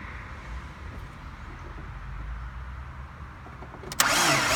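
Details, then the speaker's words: PT Cruiser that starts but won't run, spark checked, head gasket recently replaced: low uneven churn then loud starter whir with no firing or catch; cranks but won't start, owner suspects lost cylinder head compression from poorly sealing valves. "so if your car sounds something like that and you've checked the spark you've"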